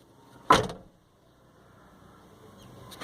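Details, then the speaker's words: Fiat Uno Vivace Way door slammed with the window closed: a sharp slam followed by a brief glassy clatter as the glass knocks against metal, caused by a loose part inside the door. "barulho do vidro bater no ferro isso incomoda bastante"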